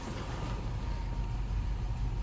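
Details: 1998 Cadillac Eldorado after an alternator test, charging at 14.5 volts, with a leaking fitting of the wrong pitch: steady low engine hum with an even rumble, no knocks or squeals. Idling smoothly.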